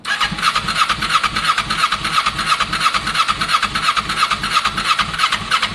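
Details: Kawasaki ER6n project bike, first start-up attempt on a borrowed new battery with old fuel in the lines: starter churns steadily three beats a second, no firing. Crank no start; owner thinks he hears spark, plans to add fuel, cause unconfirmed.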